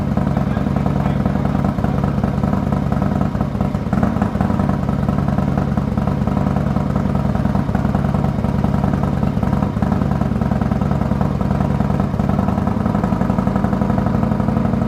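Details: 2020 Harley-Davidson Road Glide Special Milwaukee 8 after S&S 475C cam install, D&D Billet Cat 2-into-1 exhaust, first cold start: deep loping V-twin idle, even lumpy beat at fast cold-start speed, no ticking or knocking; normal cold start idle.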